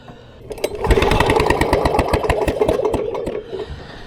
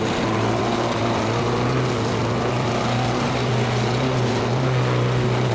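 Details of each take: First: Vintage Lawn Boy Gold Series 4.5 hp two-stroke mower found on the curb; rapid uneven cranking chuff about three per second with no firing, bad magneto giving no spark. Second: Vintage Lawn Boy Gold Series 4.5hp two-stroke mower, restored curb find, running after repair with fresh gas: steady even buzz with no misses or surging; normal running, way better than before.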